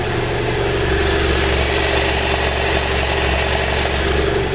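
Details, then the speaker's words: 2012 BMW F650GS at idle, microphone down at the engine, left then right side: smooth, steady low idle with no injector ticking; quiet and healthy, which the owner credits to a year of using two-stroke oil. "so it it sounds like I would expect an engine the sound instead of that tick tick tick tick tick tick sound they're known for"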